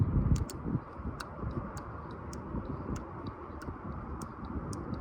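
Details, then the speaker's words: 2008 BMW 535i 3.0 VANOS solenoid removed for cleaning, energized with a 9-volt battery by tapping wires: light, irregular clicks; solenoid opening and closing normally. "On some you can hear it real loud, but here it's just a light uh clicking when I tap it."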